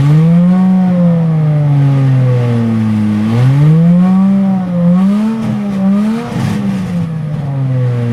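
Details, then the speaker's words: Aston Martin DB7 V12, freshly refitted engine with new injector O-rings, first start: smooth, eager revs rising and falling cleanly with the throttle, even note, no misses or knocks; oil pressure fluctuates normally with rpm, no leaks. "La pression d'huile affichée au manomètre fluctue normalement selon le régime et aucune fuite n'est à déplorer pour le moment..."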